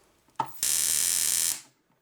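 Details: K7000 25-inch arcade monitor from an NBA Jam machine, switched on: sudden loud harsh crackling buzz for about a second, then stops; high-voltage flyback arcing through its casing, fuse not blown.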